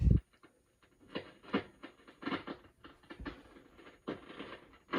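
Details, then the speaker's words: RME-69 valve receiver, warmed up with HT reconnected, RF gain at full volume: irregular crackle and hiss bursts on Band 1 only, none on Band 2; traced to suspected arcing in a phenolic band-change switch wafer. "I'm sure you can hear the crackling in the background there that's the rfnaf gains at full volume on band one switch to band two nothing band One it's crackling away"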